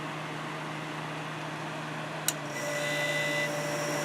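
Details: Kenmore dehumidifier during cleaning and maintenance, cold winter conditions: low steady hum, one sharp click, then the compressor cuts back in with an even, slightly louder drone; a normal restart.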